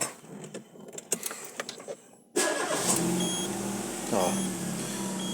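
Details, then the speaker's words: Peugeot whose loud "tac tac" knock came only from loose spark plugs, after retightening to 2.5 torque: starter cranks briefly, then the engine settles into an even, quiet idle with no knocking. "o motorzinho agora em silêncio lenta paradinha"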